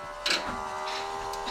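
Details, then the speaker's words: 2022 Kenworth W990 with a Cummins X-15, at key-on after a fuel filter change, cycling the key to prime. A steady low electric hum with a couple of soft clicks: normal fuel primer pump operation. "what I do is, you can hear the primer pump. We'll let that run till it stops."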